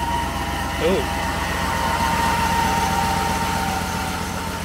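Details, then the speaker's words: 2003 Chevrolet Silverado 3500 dually, 6.0L, 4L80E, 2WD, just started: steady high-pitched squeal over a rough uneven idle; owner suspects a pulley going out, also needs tune-up, possibly throttle body clean; belt or pulley squeal at idle. "sounds like a pul he's going out on it so it's really not too bad"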